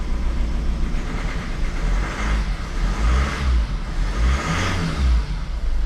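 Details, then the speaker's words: Honda CR-V diesel after repairing a number 3 injector fault (P0203) that caused crank no-start, codes cleared: after a brief rev it settles to a steady, even idle with no misfire; running normally on all four cylinders. "there we go and there you have it the car is now running on all four cylinders absolutely beautiful"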